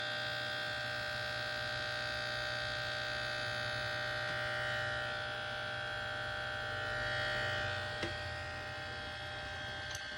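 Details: Asus G731GV gaming laptop: thin, steady high-pitched fan whir with a faint buzzy edge at constant pitch; the fan is noisier than it should be, cause unknown.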